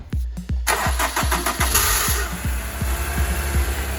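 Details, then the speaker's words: Honda S2000 CR, restarted after clearing a coolant temperature sensor code: slow, uneven cranking at about three clunky beats a second before the engine catches and settles; starter sounds worn and may need replacing. "Damn, that starter sounds horrible. Yeah, it might be time for a new one soon."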